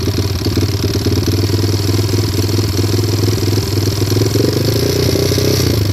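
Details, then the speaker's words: Stolen-recovery pit bike at idle: steady rattling knock rising with a light throttle blip, unchanged with clutch pulled; owner unsure whether rod knock, valves or timing chain. "I'm getting a rattle noise. Uh it's a stolen recovery. If y'all could take a listen, leave some comments or something. Just let me know what you guys think. It fires right up, as you hear. I pull the clutch. There's no difference. Give it a little rev."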